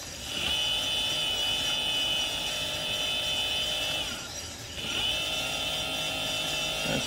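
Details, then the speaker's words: Tomos moped electric conversion, newly wired motor spun up at slowest speed setting after fixing power: smooth steady high-pitched whine, brief dip then even; motor works and sounds healthy. "pretty slow [Applause] it totally works okay so this is the slows so this is whatever that means that's definitely the slowest speed"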